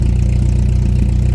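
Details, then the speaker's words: 1989 Volkswagen Jetta 1.8L with louder aftermarket exhaust, runs well for about two minutes then smokes and idles low, uneven and lumpy near stalling; no vacuum leaks found, cause unknown; rough idle. "now it starts smoking and running really rough almost to the stalling point believe this is as bad as it's gonna get"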